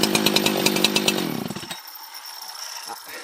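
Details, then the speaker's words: Husqvarna 365 chainsaw, 24 years old, first start after full teardown and rebuild (low jet half-turn out, idle raised, started on choke): crisp, even high rev with steady firing, then clean wind-down; runs properly, healthy. "and take it all back that's that's the sound of a husky that's how that's how a husky runs"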